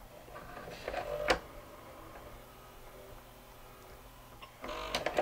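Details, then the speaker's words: Sony SLV-N700 VHS VCR, microphone next to the loading motor: faint motor whirr with sharp clicks and rattling bursts as loading stalls; the motor tries to run but appears to slip, suspected crack in the gear pressed onto the motor shaft. "the motor is actually trying to run but it can't i believe there's probably a crack in this gear where it presses on to the motor"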